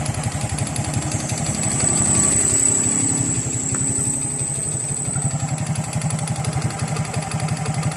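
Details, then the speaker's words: Honda XRM 125 single-cylinder after overhaul with new connecting rod set and two side bearings: steady even clean idle pulsing about three per second, no rod knock or slap, sounds brand new; block still needs rebore for scored cylinder. "guys kasi napalit na natin ng bagong set na k Balik ang tunog ng kanyang makina na parang brand new"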